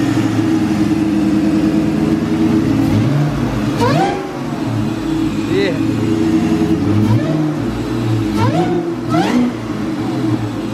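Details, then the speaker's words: Rebuilt 2003 Ford Mustang Cobra with Kenne Bell supercharger, warmed to operating temperature, first run after rebuild: steady idle then several clean revs climbing and falling smoothly with no knock or rattle; healthy engine. "you let it warm up to its operating temperature and then give it a couple of revs but uh yeah here we go success"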